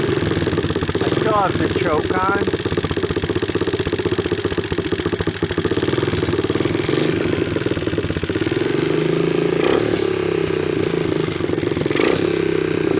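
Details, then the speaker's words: Cold start of an abandoned 1988 Honda TRX200SX after sitting a couple of years, new PZ27 carburetor and bypassed wiring harness; camera brought close to the valves. Fast, even single-cylinder idle on choke with light regular valve ticking; healthy normal idle. "I wanted to bring the camera a little closer so that you guys can hear the valves and all"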